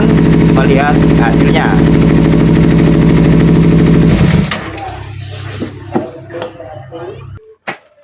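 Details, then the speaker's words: Kawasaki Ninja 250 FI after throttle body reinstalled, previously stumbling, low power, poor throttle response and weak fuel pump pressure: crisp, regular high-rev firing held about four seconds then dropping cleanly; throttle now normal and engine power responsive. "Syukurlah, setelah dicoba, akseleratornya normal dan tenaga mesinnya responsif."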